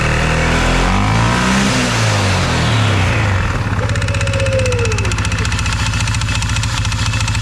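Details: 2021 CFMOTO 520S quad that was stuck in drive; belt drive reassembled but not yet tensioned. A rev, then a rough idle with a falling whistle as the drive winds down. The clutch engages on revs and disengages at idle but is very noisy and worn.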